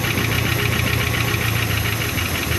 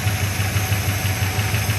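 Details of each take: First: 1975 Chrysler Cordoba V8 first run after long storage, fed from a bottle with the fuel pump bypassed, carburetor leaking fuel; even idle with a light fast tick following engine speed. Suspected exhaust leak. Ticking at idle. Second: 1975 Chrysler Cordoba revived, low on fuel, motor slightly ticky, possible leak; low, steady idle with an even regular pulse and no misses.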